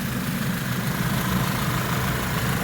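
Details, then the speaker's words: 2010 Audi A4 2.0T four-cylinder with a new water pump, just started: even, steady idle with no ticking, valve tick or smoke, and an AC blower whoosh on top; normal idle. "so we're here running no ticks no smoke I'll show you the muffler area exhaust area and show you there's there's there's no ticks no valve ticking no sticking"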